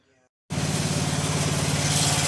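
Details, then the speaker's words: 1995 Yard Man 8 hp chipper shredder engine, after a low-compression repair (owner suspected valves) raising compression from 48 to 68 psi dry; starts on first pull and settles into an even, steady single-cylinder beat; normal running. "down so this thing runs good started on the first pole"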